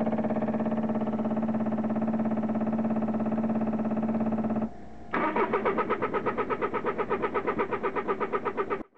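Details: Citroen Picasso diesel after converting the failed in-tank fuel pump to an external inline electric pump: steady buzzing hum, then louder pulsing whir, noisier than the in-tank pump; this pump later proved too weak, needing a 3.5 bar pump.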